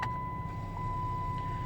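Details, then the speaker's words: 2008 Dodge Charger 3.5L idling after a no-start was fixed by replacing the starter fuse/relay under the hood: steady, even low rumble, no misses or knocks, faint constant tone; engine healthy. "so there was the only problem was in the fuse"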